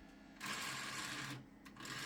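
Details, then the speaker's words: DVD drive in a 1998 Gateway G6-400XL (400 MHz Pentium II) running Windows 98: raspy high buzz for about a second, drops out, returns; fails to read despite repeated exercising, likely needs replacing. "bad news is that the DVD drive is messing up again no matter how many times I exercise it it just won't work it's making that buzzing"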